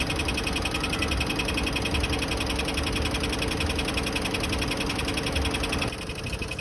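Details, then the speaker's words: Mitsubishi Montero 4D56 diesel idling: loud, sharp regular ticking at 2–3 clicks per second, no pressure at oil cap; consistent with a cracked flywheel. "Sobrang ingay na makina na. Malagitik ang kanyang andar."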